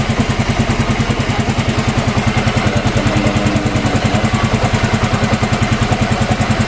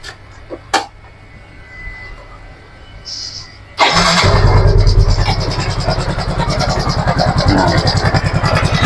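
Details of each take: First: Yamaha Mio M3 scooter after repair of rough engine noise, valve clearance checked at top dead centre: engine idles with a steady, even putter, no knocking or rattling. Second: Yamaha Mio M3 scooter engine starting and idling with a rough, rattly chatter over the exhaust beat; abnormal engine noise traced to a worn camshaft bearing.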